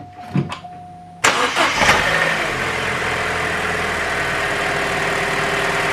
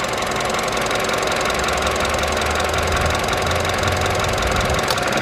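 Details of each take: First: Vauxhall Adam petrol engine, after replacing a faulty coil pack that had caused misfires, cranks briefly, catches cleanly and settles into a smooth, even idle: normal start and idle. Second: Vauxhall Adam petrol engine idling unevenly after running badly on the road, with an occasional faint click and stumble; misfire from a sick, arcing ignition coil pack, to be removed, tested and replaced.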